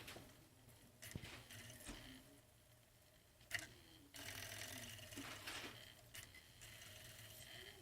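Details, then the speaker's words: Sega Saturn drive, stated as model one or two, with the door switch clipped and a music CD in. The laser was adjusted once and played it once. Now faint whirring, scattered clicks and short buzzing seeks that never settle. A failing laser could not read the disc; a new laser fixed it. "see how they're like see it kind of seems like it's jammed almost so it does this"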